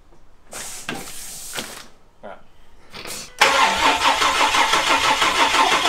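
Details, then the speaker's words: Ford EF Falcon with swapped Barra turbo engine, first crank on battery before fuel connected: starter turns engine over evenly about three beats a second with no firing, fuel pump disconnected. "holy [ __ ] holy [ __ ] it's not gonna start but let's how clean that is as well so clean"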